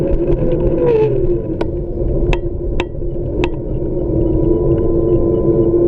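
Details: Xiaomi M365 electric scooter with a strange motor noise: a steady hub motor whir with a faint hum and a few sharp, irregular clicks on top. Cause unclear.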